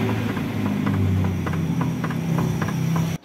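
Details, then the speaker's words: Hyundai Starex with recently replaced underbody parts: run of sharp clunks about three a second over low engine hum while the steering wheel is turned; traced to loose tie rod end. "Narinig nyo mga boss ano? Meron siyang lumalagoto kapag lumiliko-liko itong manibela."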